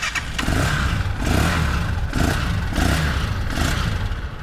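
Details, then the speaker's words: Used 200cc three-wheeler, free-revving with quick throttle blips; revs rise and fall cleanly with no misses, engine very smooth. "นี่ครับฟรีเครื่องนิ่มมากครับ"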